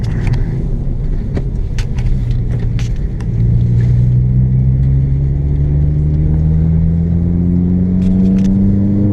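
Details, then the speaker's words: 2006 Toyota Corolla XRS accelerating through third gear after the sticking driver's-side brake caliper was replaced: the engine note climbs smoothly with strong pull and no drag, where before the dragging brakes left it with no power. Normal acceleration. "Hey, I got power again. Alright, we're good. Yeah, they were sticking so bad before that, man, third gear."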